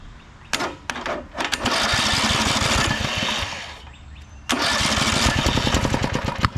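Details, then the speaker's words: Walk-behind mower engine hydrolocked with gasoline in the crankcase; after draining the fuel-diluted oil, it catches after a few pulls, then runs rough and uneven with popping, stumbling, sputtering firing while spitting liquid. "What a sputtering. I can't see. You saw I'm getting hit with liquid."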